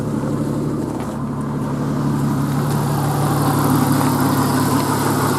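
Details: 1991 Jeep Cherokee XJ Laredo 4.0L High Output six, warm, after new fuel pump and fuel filter (still needs head gasket); idles then revs rise smoothly, even low hum without misses, knocks or stumbles; running healthy.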